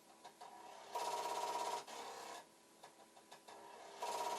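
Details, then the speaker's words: Commodore 1541 disk drive with two added switches: floppy head bangs constantly in fast even rattling bursts; the drive never comes ready, light doesn't flash. "it's very constant and but the head banging sounds good see what it should do if it suddenly decides it's okay is the light should just start flashing and the head banging should stop but it is not happening"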